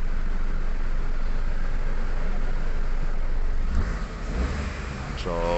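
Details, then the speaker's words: Toyota Wigo after fixing cylinder 2 misfire (injector circuit fault code that kept returning with check engine light), codes erased and rescanned with none detected; engine runs smooth and even with aircon on, no stumble or skip, check engine light not showing. "hindi na lumabas yung check engine. Yan. Yan guys. So pumino na, naka aircon na rin yan."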